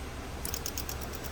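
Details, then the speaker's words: 2008 Honda CR-V won't start, check light on, codes for air-fuel ratio sensor and power control circuit; ETCS relays in engine-side and inside fuse boxes chatter with rapid faint clicking even after replacement; starts with OBD scanner plugged in, poor grounding wiring. "As you guys can listen, it's making noise and car won't start. Relay noising here, relay noising here outside engine side and the other side here, this one inside air fuse box, but car won't start and check light is still there, cannot start."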